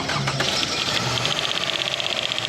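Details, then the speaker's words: Toyota 2AR petrol engine at idle, last started in 2023; fast, even metallic ticking from the top of the engine, owner thought the belt, traced to a loose, sludged VVT cam phaser gear. "The ticking sound is coming from the top, but he's thinking that it's from the belt."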